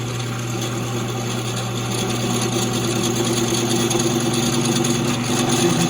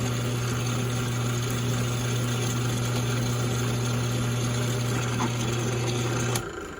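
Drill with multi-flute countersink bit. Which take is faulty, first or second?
first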